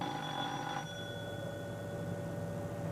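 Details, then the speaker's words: Hawker Siddeley 700 cockpit fire detection test, channel 2: the test switch is pushed and bell number 2 de-isolated; a ringing bell gives way to a steady high warning tone over cockpit hum; the fire warning bell sounds properly on test. "Push the switch, engine fire number 2 warning light, master warning flasher, engine number 2 fire warning repeater, and de-isolate bell for number 2 channel."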